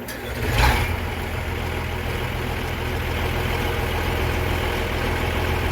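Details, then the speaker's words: Versatile 800 tractor diesel after fitting new muffler: catches quickly, steady even low idle, no blowing or rattling; normal idle, slightly better sound. "Well, it doesn't sound as nice. No, it doesn't sound as nice, but it does do the job. It sounds a little bit better anyway."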